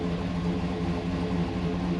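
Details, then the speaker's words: 2010 GMC Yukon 6.2 V8 with DOD/AFM delete, new oil pump and Stage 2 L92 cam, just after a cold start: deep, loud, lumpy idle with no lifter noise. Owner suspects the cam and idle setup; drives well but is rough at idle. "yeah here's my rough idles already starting"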